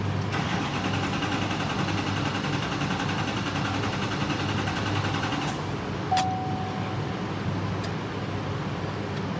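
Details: 2016 Chevy Duramax 6.6L diesel: engine turns over steadily on the starter for several seconds but never fires. Crank no start caused by a leaking fuel filter seal.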